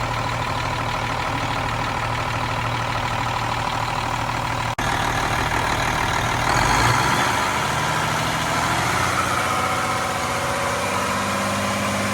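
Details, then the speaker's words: Cummins M11 diesel semi truck after fuel system priming and bleeding: steady even idle, then a few clean revs to get fuel flowing, settling back; running healthy, no more air bubbles. "When the truck's running, there's no more air bubbles going through. You gotta rev it a few times just to get the fuel flowing through there."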